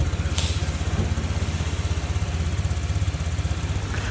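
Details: Honda Vario 125 FI scooter engine, just refilled with oil and radiator coolant after it seized and ran rough with white smoke from running low on oil; steady, even putter at idle with regular pulse, no knock or rattle; normal idle.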